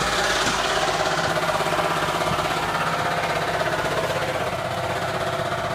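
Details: 2001 Ford Taurus SES U engine at idle: hard regular tapping about three per second, loudest from oil pan area; bottom-end knock.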